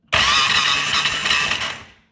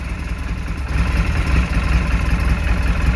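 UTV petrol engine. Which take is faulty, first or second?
first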